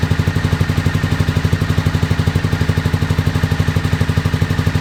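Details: 2001 Honda VFR Interceptor V4 after nearly a decade in a barn, old fuel, FI light on; pipe heat test suggests only cylinder 3 fires, 1, 2 and 4 dead. Lumpy hollow chuffing exhaust about four pulses a second: misfire.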